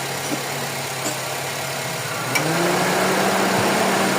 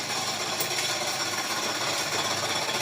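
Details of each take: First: Honda FD with R18 engine after fitting an original serpentine belt tensioner, idling with air conditioning switched on: even, quiet idle whose hum lifts slightly, no belt squeal or chatter. Normal. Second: Honda FD with R18 engine running: fast, uneven high-pitched metallic chatter from the serpentine belt tensioner, which had been fitted with a non-original bolt. Worn, loose tensioner, to be replaced.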